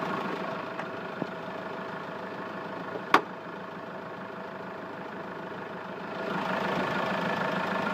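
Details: Hyundai Grand Starex diesel at idle: steady running with a faint irregular tapping mixed in, no clear pattern; unidentified engine noise, cause not confirmed.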